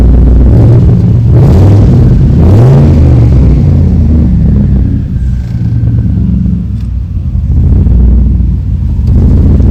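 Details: Ford F100 build with a turbo engine, first run after a coolant fix and repair of a turbo oil-feed line leak: deep, loud, lumpy rumble swelling with throttle blips and settling back, running evenly.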